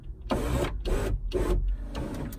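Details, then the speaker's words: Ferrari 308 (80s) passenger-side electric window: motor whirs in short strained bursts as the glass binds in its run; owner plans to grease the runners and motor, suspects glass may be skewed and need adjustment. "right as you can hear it's binding so I am going to literally grease her up again"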